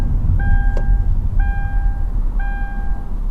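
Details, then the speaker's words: Modern car being driven on a quiet deserted road: steady mid-pitched chime repeating about once a second over road rumble, the unfastened-seatbelt warning. "It's your seat belt. Has that ever happened to you on your driving lessons? You can be so focused on your driving, you might forget something as simple as a seat belt."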